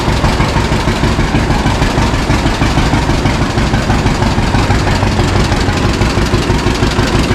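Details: 1952 John Deere G tractor, first start in about four years after fuel put in correct tank and leaks fixed: loose, even two-cylinder popping at low steady idle, no misfires or knocks; idles down fine.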